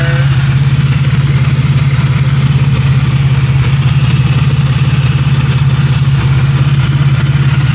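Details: 1997 Pontiac Grand Prix GTP coupe, low on gas, no catalytic converter: steady, smooth, unbroken low drone at idle with no ticks or misses; engine running great.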